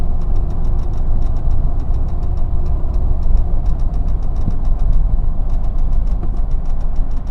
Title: Mitsubishi Montero Limited 2002 Brake Noise (Starts 0:09 sec)